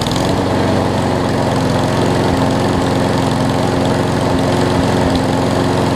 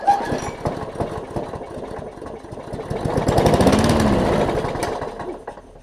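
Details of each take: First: Craftsman push mower after carb clean, wheel assembly replacement and oil change (old oil had water and mess): steady, even drone at constant speed, no misses or surging; running smoothly and healthy. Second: Craftsman push mower, primer bulb not priming, suspected carb issues, carb cleaner sprayed in: uneven pulls with brief sputtering catches that die away; it fires only momentarily, just not getting gas. Cranks but fires only on starting fluid.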